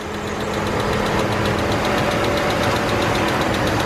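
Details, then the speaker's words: Engine idling after spark plug replacement; a sharp regular chirp about four a second from a slipping serpentine belt, which goes away when water is poured on it; slight ticking also present on one side. "But I hear the serpentine belt chirping again."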